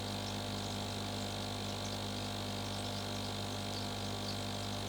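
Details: GEX e-AIR1000 aquarium air pump switched on: a steady low hum with a constant buzz on top, no pulsing or rattle. It runs normally but is fairly loud.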